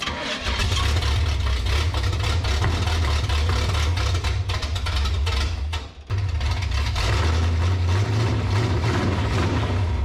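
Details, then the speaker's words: 1967 Pontiac Firebird abandoned about 15 years, running on the carburettor: runs rough and loud only at raised revs, sags nearly to stall then catches; won't hold idle. "it won't even try to hold idle there the only time it tries to hold the idle is way up there"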